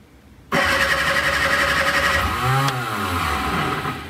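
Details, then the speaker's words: Shorrock supercharged Austin Healey Sprite replica, first start attempt after confirming oil pressure and fuel, carburetor refilled, plugs reinstalled, before choke applied. Starter churns about four turns a second with a few brief catches, never runs: cranks but no start. "that sounded like it wanted to let's uh try to give it a little bit of choke see what happens"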